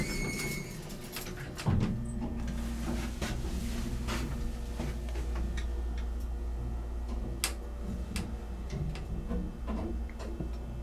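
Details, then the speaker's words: Antique 1950s-60s Sound (Rotary/Dover) hydraulic elevator, 1200 lb capacity, Alki Sands, Seattle, riding in cab: steady quiet low pump hum with light clicks, runs like new and levels well; normal hydraulic elevator run. "it runs like it was put in today I'm very very level"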